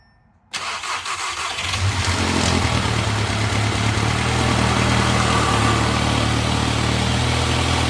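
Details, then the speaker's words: Audi 8V A3 quattro time-trial build, first start after fitting new multiport fuel injection, a new downpipe and a new brushless fuel pump: it starts on the first try and settles into a steady, smooth idle while the water pump works to fill the cooling system. "What we're hearing right here is um it's it's trying to p the uh cooling system. See? So, that was the water pump trying to do its thing."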